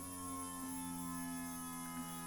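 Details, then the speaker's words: 1982 air-cooled VW Vanagon Westfalia during restoration, after fixing the fuel pump ground wire: steady even whine from the electric fuel pump, no surging; now working. "fuel pump's working you can hear it can you hear it whining anyway so that's good news"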